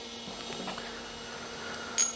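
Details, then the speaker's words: Olivetti M300-30/P with substitute BA366 motherboard: quiet steady hard disk spindle hum with light seek ticks, no scraping or clicking; normal hard disk operation. "It's seeking. The hard disk is seeking."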